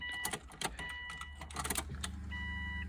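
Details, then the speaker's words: Subaru WRX after JDM long-block swap, E85: after plugging in the unconnected fuel pump, a few clicks then a low steady electric hum as it primes through a new, likely dry fuel filter; normal priming. "the fuel pump she is ready to run it's gonna prime some fuel in there change the fuel filter so that's probably dry"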